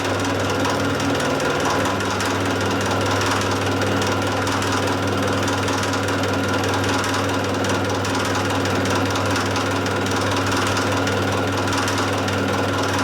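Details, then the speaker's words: Small mill with backlash in high range, cutting the square on a shredder drive shaft: harsh, continuous steady-toned buzzing rattle through the whole cut as the cutter chatters against the shaft; milling chatter. "screw it up by taking it right down the side so and that's chattering like a bastard there's not really anything I can do about it"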